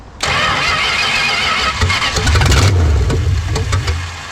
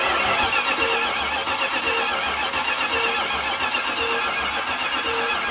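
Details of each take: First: 1970 Dodge Charger V8 newly fitted with electronic ignition, with spark confirmed: starter churns while the engine coughs and stumbles, firing irregularly without catching cleanly; owner judges the timing badly retarded and plans to reclock the distributor wires to advance it. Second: Long-dead 1970 Dodge Charger spun over on the starter with battery in, before first start: steady cranking at about four even pulses a second with no dropouts; compression sounds even, and lifters are seen moving.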